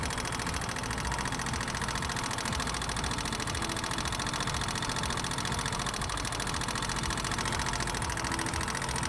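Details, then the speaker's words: Kawasaki motorcycle engine idling: sharp, fast metallic tappet ticking from the top end, increasing as the engine warms; caused by worn camshaft lobes or excessive rocker arm clearance. "A sharp metallic noise heard in the idling stage from the upper side of the engine, which increases with a rise in engine temperature."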